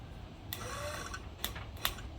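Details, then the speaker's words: 1966 Ford Bronco windshield wiper motor on first test after lowering it: whirring with a brief rattle, then two sharp pops as the linkage overtravels at sweep's end because the bracket sits too far back; fix is sliding the motor forward. "I don't want to take that bracket that deep. So when it goes beyond there, it gets that little pop."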